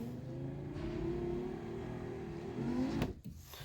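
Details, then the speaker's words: VAZ power window after cleaning and lubricating seals and felt channels with WD-40, engine off: low laboured motor drone about three seconds then thunk as glass stops; speed unchanged, still slow, owner suspects the window motor is dying. "Давайте проверим его работу после промывки и смазки вдшкой всех бархоток так на не запущенном двигателе Ну то есть скорость осталась такой же как спуск так и"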